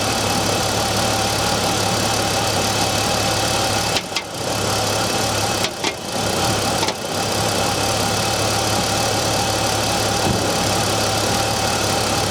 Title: BMW e46 m54 knocking sound cold engine